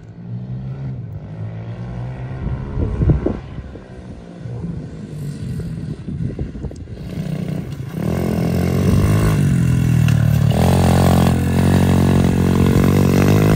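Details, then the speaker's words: SSR125 single-cylinder pit bike, first test ride after rebuild (valve had been too tight), started in neutral: revs up and settles with even firing, no misses or knocking; ridden up to third gear, runs quick. Normal running. "think runs freaking good though it looks like it runs amazing yo pretty quick too"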